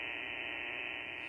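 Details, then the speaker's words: Solar charger near ham radio rig antennas for POTA setup: constant loud hiss and hum with high steady whine, no signal, full-scale noise swamping the receiver; radio interference from the solar charger. "Solar would be screwing this rig up big time because the antennas are near the back of them. Look what solar does. Full scale noise."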